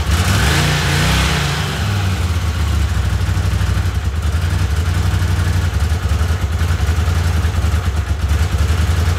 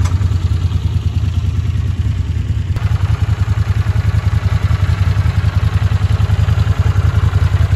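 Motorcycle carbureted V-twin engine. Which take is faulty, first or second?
first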